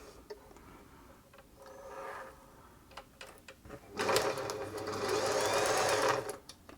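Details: German-made Singer 631G/611G sewing machine after a full service and foot controller repair, sewing after threading: an even, steady whirr for about two seconds with no knocking or grinding. It runs smoothly.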